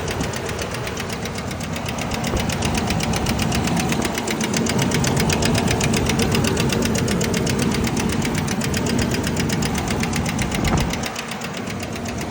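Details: 2000 Ford Ranger XLT, knock began two days after engine repair: fast steady internal knocking over the running engine, swelling as revs rise; cause unknown.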